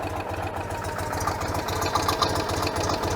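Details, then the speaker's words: 1986 Citroen 2CV after a service with new plugs, engine still fairly cool: uneven, lumpy idle at three to four beats a second with a faint hiss. Spray test finds an air leak at the carburetor manifold gasket. "we've got considerable air leak somewhere going on where is that is that the base yeah i think i've got a leak"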